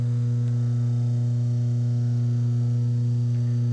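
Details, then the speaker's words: Serviced Red Wing/General Electric brushed motor with oiled bushings, plugged straight in with no switch: startup, then a constant smooth even hum with no rattles, squeals or rubbing, and a long wind-down after unplugging; normal motor run, healthy bushings. "Very smooth. These things, they are just beautiful."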